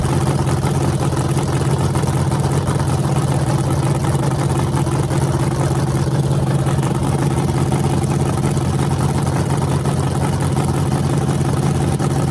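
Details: Freshly rebuilt small block Chevy 350 (355) on a converted run stand, open headers, restarted after adding gas: a steady, deep, even lope with no knocks or misses. Normal idle; afterwards it reads 107° front and 76° back, plenum 69°.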